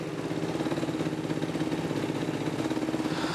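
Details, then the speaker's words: Yamaha YFZ450R ATV single-cylinder engine after top-end rebuild, idling through its first heat cycle up to temperature: quick, even thumping with no tapping or rattles on top; everything sounded really good, normal idle. "Everything sounded really good."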